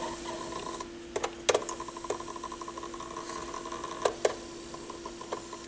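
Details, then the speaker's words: Pioneer PL-707 turntable during repair, belt service and motor noise work: light irregular mechanical ticking and rattling over a steady low hum with sharper clicks; rattle source unknown, possibly motor, with felt found wrapped in a gear; not from grease. "I don't know I don't know if I'm gonna get rid of that rattle or not I honestly don't know where it's coming from"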